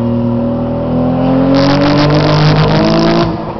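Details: Nissan 240SX with RB25 engine under hard pull: rising note turns rough and choppy, breaking up around 5000 rpm and falling on its face; misfire from bad coil packs, fixed by replacing them.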